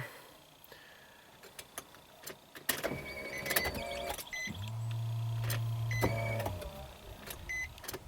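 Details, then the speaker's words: 2005 Nissan Maxima V6 with a swapped-in junkyard engine (165,000 miles) and a P0303 cylinder 3 misfire code. On the start attempt: key clicks, dash chimes and a brief weak whir, but no crank. A dead battery is suspected, not confirmed. "That's a no crank, okay. Oh, come on. Dead battery, of course."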